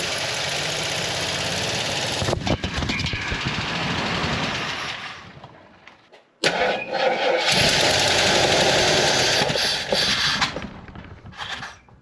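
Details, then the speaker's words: Jeep Wagoneer with a carburetor leaking gas at the bottom gasket/adapter plate, trying to start: rough cranking catches and dies with sharp backfire pops. Owner suspects the carb flange or gasket sealing; cause unconfirmed. "Sure wants to backfire, doesn't it?"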